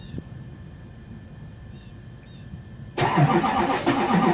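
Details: 2002 Chevy 2500HD LB7 Duramax diesel at 5°F, Airdog lift pump, PPE boost valve, resonator delete, Merchant high idle; near silence then fires straight into loud steady diesel clatter — clean normal cold start into high idle.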